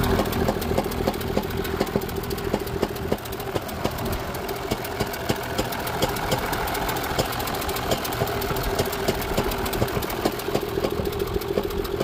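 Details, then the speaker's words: Crew cab truck after a sudden pop on the freeway, idling: uneven stumble with sharp pops about every second, misfire seeming to pop out of the intake; head gasket suspected, transmission also clunks. "sounds like it's missing it's almost like it's popping out of the intake"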